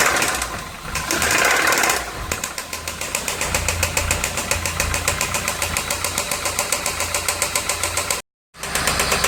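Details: VW Santana AP 1.8 engine, oil level ok, new oil and filter, no smoke; oil pump, hydraulic lifters replaced, timing and camshaft checked yet noise persists: loud, sharp knock three to four a second; connecting rod play suspected, unconfirmed.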